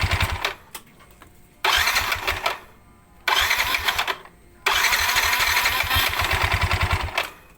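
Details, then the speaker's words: Yamaha NMAX starter after repair of worn (oblak) starter motor bushing, fixed by cutting piston pin as bushing; three smooth, even cranking whirs with no grinding or howl, starter smooth as original: normal cranking. "oke untuk starternya sudah halus seperti semula ya"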